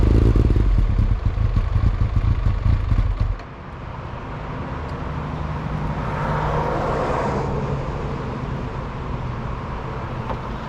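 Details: 1999 Kawasaki ZX9: rough, uneven engine beat for about three seconds, then it cuts out abruptly and stalls; owner suspects a bad fuel pump, cause not confirmed.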